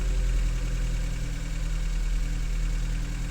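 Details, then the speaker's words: 2012 Chevy Cruze 1.8L with a click no-start caused by a blown fuse (starter good), low on oil and topped up. With the fuse circuit powered, the engine catches and settles into a steady, even idle with no misses or knocks: normal idle. "so starter is not bad the fuse is bad fuses don't blow for no reason so I have to figure that out but no run yes run yes run with little"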